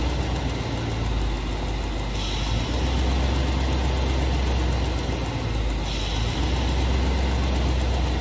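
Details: 1966 Ford Thunderbird at idle, steady low rumble rising in pitch and loudness twice for a few seconds as the brake pedal is pressed, then settling; pedal mostly air after booster rod adjustment, owner told vacuum issue, unconfirmed.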